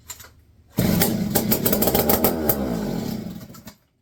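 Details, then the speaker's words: Barn-find McCulloch 1-80 chainsaw revival, first run in 30-40 years, with no muffler and a correct carburetor fitted. The two-stroke catches and runs a few seconds, loud and raspy, then dies. It sounds healthy. "First run in what, 30, 40 years?"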